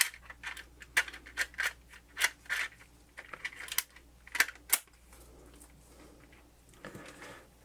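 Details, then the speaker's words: Sony MZ-EH50 Hi-MD MiniDisc player after cleaning and lubricating the optical pickup mechanism (previously would not read Hi-MD discs): soft scattered clicks and brief whirs as the disc loads, much quieter than before; mechanism working normally. "I think noise is already different, mind you. It's already much quieter."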